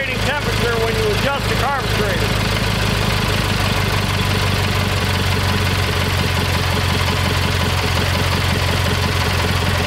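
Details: Kohler Magnum 20 after a carburetor rebuild, mixture set at operating temperature. Steady single-cylinder putter at an even idle, with faint chirps at the start; mixture settling in and running evenly. About 40 years old, probably needs a valve job.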